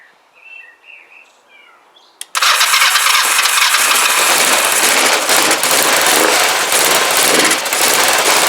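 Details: Kawasaki GPZ500S parallel-twin engine, freshly installed in frame, run on float-bowl fuel only: cranks, catches quickly, settles to a steady even beat with no knocks or rattles; sounds healthy.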